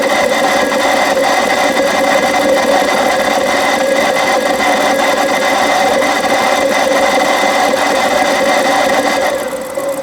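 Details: BMW 7 Series E65 with N62B44 V8 at cold start idle: loud harsh rough grinding, fast uneven pulses about four per second over the engine, source unclear.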